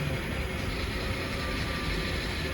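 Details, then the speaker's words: BMW E60 525i 3.0 petrol N53 at idle after swapping coils: uneven, lumpy idle with irregular dull thump, still running badly; fault reads misfire in cylinder 2, where coil 1 was moved, so that coil is bad. "you can see, the car continues to sound bad and we are going to read the faults here is a misfire in cylinder 2"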